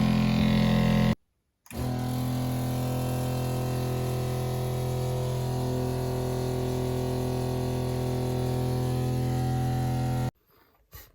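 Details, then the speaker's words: Shurflo 2088 series water pump with silencer kit fitted, self-priming: loud steady buzzing drone with fast even pulsing, no quieter than before though filling faster; noisy water pump. "So, no quieter at all. Bright side, it does fill up much faster."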